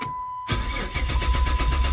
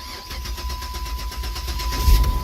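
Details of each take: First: Silver Dodge Charger that quit on the road: door chime, then the starter spins the engine strongly and evenly but it never fires despite a full tank. No fuel reaching it; the fuel pump has failed. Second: No-start car after a new fuel pump was fitted and the fuel system primed: brief crank, then the engine catches cleanly and settles into an even idle; it now starts and runs normally.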